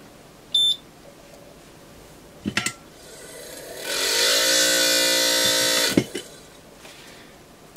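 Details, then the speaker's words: Quick 861DW hot air station after years of use: its air pump spins up into a loud hissing whir with a wavering whine; the fan impeller was found cracked and replaced with a 3D-printed one. "sounds like a fan motor problem let's open this thing up"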